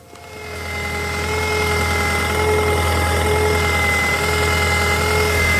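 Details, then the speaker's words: Toyota Auris 1.6 L petrol with its original 100 A alternator at 120,000–121,000 km, idling: steady high whine from the alternator, which is not charging; the stretched belt is also being replaced; faulty alternator whine. "Bạn có thể nghe thấy tiếng ồn từ bộ sạc. Nó không sạc được."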